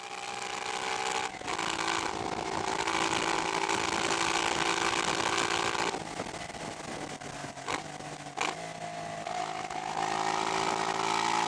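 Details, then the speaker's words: 1988 Honda NT400 Bros, 400cc V-twin, exhaust baffle hammered out: loud, raspy, unmuffled bark rising and falling with throttle on a road ride; loud exhaust with baffle removed. "But it does make a good noise. I hammered the baffle out of the back of the exhaust."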